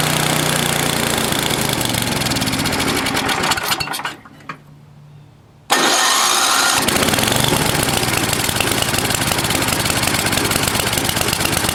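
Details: NOMA 8hp snowblower engine just after fitting the carburetor: it fires, stalls briefly, restarts, then idle wavers up and down as the governor moves back and forth. Governor hunting; the carb needs tuning.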